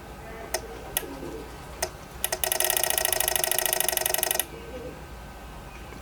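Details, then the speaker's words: PWM solar charge controller: sharp relay clicks then rapid chattering as input voltage rises to about 16.5 V, overvoltage cutoff cutting power; no clicking at lower voltage. "And if I go higher, it makes clicking noises. So at around 16.5, so if your solar panel gives too much voltage, it cuts off power and it's making that noise."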